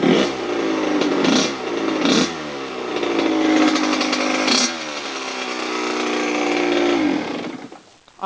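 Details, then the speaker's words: Freshly rebuilt Kawasaki KX100 two-stroke top end (new cylinder): crisp revs climbing and dropping in quick blips, clean ringing note, no knocks or rattles; normal running. "I took it for the first cycle which is 10 minutes twice under half throttle and I just did the third cycle which is basically barely hit the Power Band so Steve it sounds good to you"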